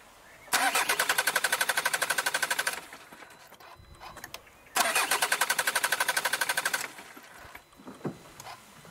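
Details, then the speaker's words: Kia Ceed diesel with Bosch EDC16 engine ECU, immobilizer cut out of the ECU: two cranking bursts of steady rapid ticking at about four per second, then the engine catches; a normal start, confirming the immo-off works. "poszła No właśnie wycięty mobilizer Czyli jednak działa"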